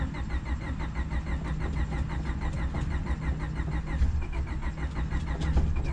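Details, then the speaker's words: Honda Civic D-series cheap eBay turbo build, first start attempt after fixing bad grounds, with starting fluid added: the starter turns it over evenly at about five pulses a second but it never catches. Suspected fuel delivery problem. "it sounds like we're having it's kind of feel problem I'm gonna go and check the lines and I'm gonna disconnect the main line that feeds the fuel rail"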